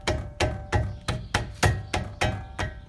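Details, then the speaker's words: 2011 Infiniti G37x AWD, loose front brake caliper rocked by hand: sharp hollow clunks about three per second, matching the metallic clanging heard over bumps while driving. Planned fix is new pads, hardware and rubber bushings, then slide bolts; heat shield also possible. "so what I found is the caliper rattles but it's loose my goal today is to rebuild the caliper in terms of new brake pads new hardware and the new all the rubber bushings in it so you can see it's loose so that's kind of sound that I get when I'm down the road you hit bumps"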